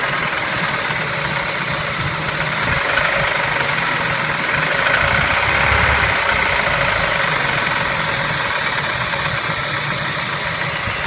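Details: Spectra engine at idle: a harsh, uneven tapping of roughly three per second stays level over the idle; engine knock of unknown origin.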